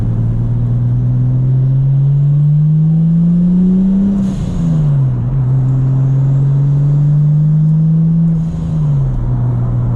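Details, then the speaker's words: Nissan R34 with GT turbo conversion, first drive, microphone on head cam inside the cabin: engine note climbing smoothly through gears with turbo spool and a short airy blow-off valve hiss on lift; normal, though fuel pressure regulator leaks. "Hopefully you can hear the turbo spool with the head cam from the inside. I definitely can. I can hear the blowoff valve."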